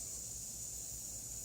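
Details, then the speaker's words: Car tire with a screw in the tread, head worn off: steady high-pitched hiss of air escaping through the hole. "And in the case of a screw, it is a screw. You can hear the air coming out. The head's already worn off of it."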